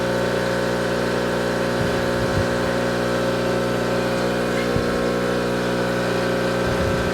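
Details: Tuttnauer 2540EA autoclave water fill pump running after repair, the unit previously not filling with water: a steady motor hum with a fine even pulse and a few bumps of water flow, the pump working normally.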